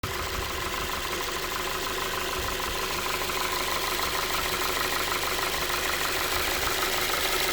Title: Звук, стук двигателя форд 2.5.